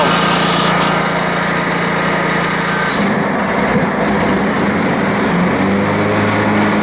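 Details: Kawasaki 19hp engine, about 3 years old, on an older Wright Centaur mower, on a cold day with old fuel, below full throttle: a steady, fairly fast small-engine drone with a slight pitch change midway. Owner suspects the idle is set a bit high.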